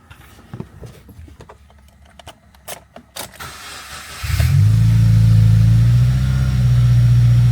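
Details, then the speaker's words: Subaru WRX FA20 after fresh engine rebuild, vacuum lines verified: starts after a few clicks and holds a steady fast idle that never drops after 30 seconds; fixed by throttle relearn. "There's a difference of a high idle in the first 30 seconds, and then when it goes down afterwards. This one's not going down whatsoever. It'll just stay like this."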